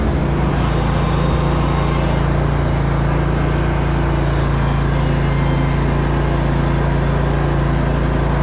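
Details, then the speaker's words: Grasshopper zero-turn mower with a defective battery, PTO engaged: steady low engine drone with heavy hum and faint rough pulse about three times a second; PTO sounds seriously wrong, later shown to be affected by the bad battery. "At this point in my vlog, I'm finding out there's something seriously wrong with the PTO. Sounds like it's coming all the pieces."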